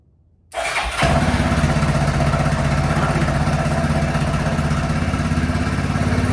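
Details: Zombruin engine after plug wire refitted, fuel valve off because of a leak: cranks briefly, catches within half a second, settles into steady even idle with low beat; starts normally.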